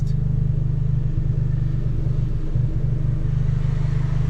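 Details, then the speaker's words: Fiat Abarth 595, 1.4 turbo petrol, idling after hard driving: steady low burble with a brief dip in rhythm, an occasional stumble. The owner says it almost misfires by a cylinder; cause unknown. "Like, now that I've been hammering it, it almost like misfires by like a cylinder or something. It'll idle, and it goes as if like it's misfiring"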